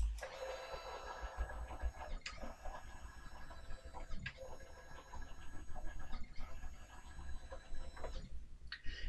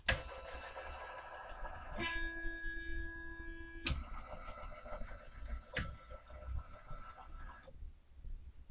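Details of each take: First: Sainsmart 3018 PRO CNC during GRBL tuning, acceleration $120 raised to 200: thin stepper whine rises quickly to steady pitch each pass, wind-up to top speed getting shorter; smooth healthy normal stepper traverse. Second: Sainsmart 3018 PRO CNC, GRBL acceleration $120 set too high, cut from 2500 to 2300 and lower: stepper tones broken by sharp clacks as carriage jams, still jamming; stepper motor stalling from excessive acceleration.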